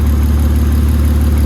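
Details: BMW E36 petrol six with misfire and repeatedly failed ECU, now idling with a steady, even low hum and no stumble after a temporary fix; still needs new engine harness and spark plugs.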